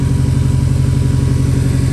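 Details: Subaru WRX STI, daily driven 4 years, check engine light and low cylinder two compression, engine believed toasted: deep lumpy idle with uneven low pulse, a misfire.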